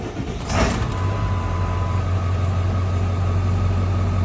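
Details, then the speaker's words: Eight-cylinder diesel with 263,000 miles, after replacing the shorting IDM and repairing 25-year-old injector harness pigtails. A low, even idle with a steady beat and no stumble after a blip. No smoke, though the dried-out belt squeaks. Normal idle. "Smooth as glass. Nothing coming out of there at all. No pressure of any kind. It's not smoking at all."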